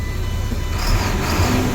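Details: Tandem-axle Mack truck after sitting, started with a jump box after plugging in a pigtail connector: deep, even diesel rumble holding a steady beat with no knocks or misses; starts and runs normally.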